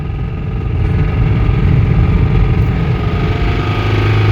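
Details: Toyota Corolla at 119k miles with a spun rod bearing, driven under throttle: heavy deep pounding rod knock, no power left, engine stalling and near failure.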